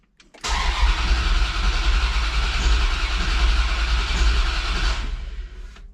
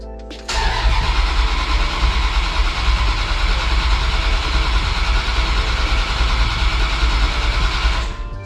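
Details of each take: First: Dodge Dakota R/T 5.9L Magnum V8, new heads and cam, first start attempt after priming fuel. Starter churns steadily at about three and a half turns a second with no catch or firing; crank-no-start from ignition timing, distributor sitting 180 degrees out. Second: Dodge Dakota R/T, 95,000-mile 5.9L (360 ci) Magnum V8 with new heads and cam, sat for a while. Fuel pump relay removed and cranked to prime. Steady fast even churning crank for about seven seconds, no firing, no grinding; normal cranking.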